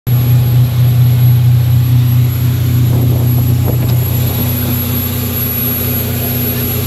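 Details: 2004 Sea Ray 270 Sundeck with MerCruiser 496 V8 underway at mid-range RPM: thin steady whistle over even drone; suspected clogged or missing IAC foam filter under flame arrestor or detached throttle-body-to-IAC hose, not confirmed.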